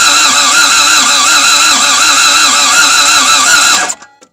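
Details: Toyota MR2 AW11 after a new fuel pump, fuel system purged, first start attempt: a steady fast starter whirr with an even cranking beat for nearly four seconds and no firing; spark confirmed present and fuel assumed, so it cranks but will not start.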